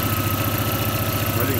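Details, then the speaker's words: Audi A3 that knocked after a sloppy earlier rebuild with a loose flywheel and missing bolts, now with the flywheel fixed, about 430,000 km; smooth, even idle with no knocking or tapping. Normal idle after repair. "давай сейчас попробуем заведи послушай штука никакого нет"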